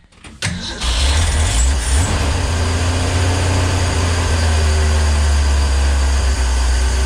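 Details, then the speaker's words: 1965 Ford Econoline van stored since 2011: starter churns steadily at about four beats a second with no firing at all; cranks but won't start, owner suspects the fuel pump diaphragm is torn. "I don't think so this fuel pump might have finally given up the ghost"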